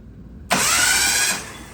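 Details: Mitsubishi Mirage 1.8L DOHC turbo engine cranked without spark plugs at 16 volts to prime oil: sharp starter engagement, then under a second of fast, even high-pitched spinning with no compression pulses; oil comes up, cranking healthy.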